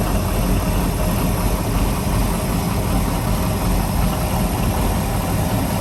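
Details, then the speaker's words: 1997 Maxum 2300 SC boat inboard engine, after two months in the shop with many new parts after a hard-starting problem: deep, steady, even rumble with no knocks, misses or surges; normal running. "as you can see motor is running very very strong of course that's not without dropping a little bit of money in this project to bring the boat back to I guess what you call it former glory"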